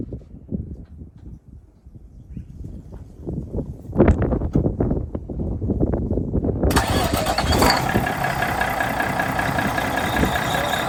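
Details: 1985 Mack R Model diesel truck after swapping the faulty old starter for a new lighter updated starter: slow uneven cranking for a few seconds, then the engine catches and settles into a steady, even idle.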